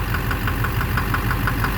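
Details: 2009 Silverado 3500 Duramax LMM diesel dually, 59,900 miles, idling: sharp regular knock about six a second, loudest low near the oil pan; owner suspects back of the bottom end, unconfirmed. Oil analysis shows no abnormal wear; intermittent since 57,500 miles.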